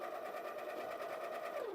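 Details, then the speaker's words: Baratza Encore clogged with coffee packed in the chute: the motor runs with a steady hum as if empty and the beans hop in the hopper, but there is no grinding crunch, then it winds down. "when the grinder is clogged the motor will run and the beans will hop around a little bit in the hopper but it's not going to do any grinding"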